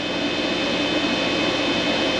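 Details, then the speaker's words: Vtoman Jump 1800 LiFePO4 power station under heavy load, microwave plus coffee maker drawing about 1560–1569 W of 1800 W; cooling fan kicks on with a steady, smooth high-pitched whoosh, no rattle or grinding; normal cooling fan operation. "yes the fan did come on but that's just to keep it nice and cool"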